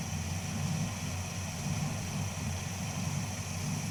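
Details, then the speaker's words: Dodge Charger crew-cab restoration V8 with a lumpy idle and a dull stumble about once a second after an oil change; the startup tick cleared once oil reached the system, but the idle misfire returned, cause not yet found. "She's back to misfiring again. Dang it."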